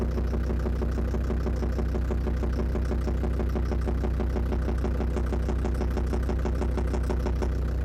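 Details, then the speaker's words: Land Rover Defender Td5 diesel idling after radiator work, mic at the snorkel where it seems loudest: regular tick-knock about three per second keeping pace with the engine; suspected hydraulic lifters or exhaust manifold, unconfirmed. "за меня лично это звук загадка отдает он соответствовал я нашел источник неожиданно источник этот это шноркель"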